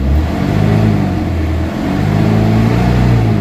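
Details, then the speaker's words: Isuzu Crosswind diesel revving with a dull, strained drone that never climbs freely and sags, giving low power, weak pull, throttle delay and strong engine vibration. Worn internal parts are suspected, and the fix was XADO engine treatment. "ipm natin pakiramdaman natin kung saan yung kanyang ang RPM na malakas so problema guys low power"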